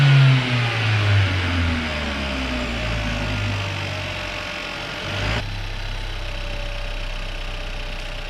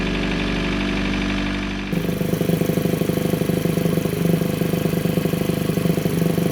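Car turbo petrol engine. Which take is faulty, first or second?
second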